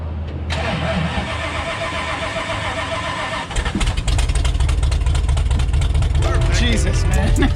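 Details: 1974 Jeep CJ5 with AMC 360: starter cranks about four turns a second for over three seconds before the engine catches and revs rough; slow, hard start, cause suspected, not confirmed, with someone blowing into the gas tank during cranking.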